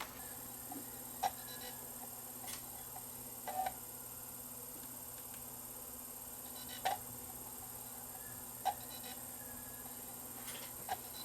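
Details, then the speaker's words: Sony BDP-S350 Blu-ray player that reads some DVDs but no CDs or Blu-ray discs: sharp, irregular ticks every second or two over faint hum, drive seeking and failing to read. "there's actually a little servo motor inside here that uh you can hear it and what this little Servo motor does is it moves this little aperture back and forth"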